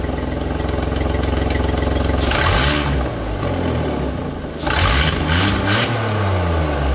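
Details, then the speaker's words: Skoda Fabia 1.2 12V at idle before repair: rough, loud, chuffing tractor-like note that gets harsher when blipped; the catalytic converter, integral with the exhaust manifold, is leaking and will be replaced. "Ano mianowicie nieszczelny jest katalizator katalizator występuje z kolektorem wydechowym jako jedna część"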